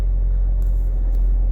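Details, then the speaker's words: Renault Megane Grandtour flex-fuel, cold-day start at about 17 degrees after Radnaq Fuel Injector Cleaner additive test; low even rumble, starts at higher rpm and settles into a steady fast idle with no misses or stumbles; normal cold-start idle. "vamos ligar o carro então ó comportamento então ele começa com a rotação mais alta"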